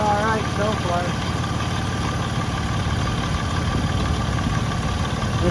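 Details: 2006 Ford Freestar 4.2L after power steering pump replacement and bleeding: engine idles evenly with no whine or groan from the pump as wheels turn; power steering normal.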